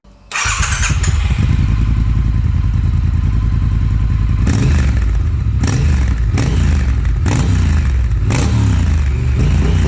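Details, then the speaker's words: 2018 Triumph Thruxton R warmed up after Motone X-Pipe cat delete and automatic remapping, on stand: deep even twin burble at idle with clean throttle blips, no knocks or rattles; healthy, project done. "Love the way that it sounds, the way that it looks."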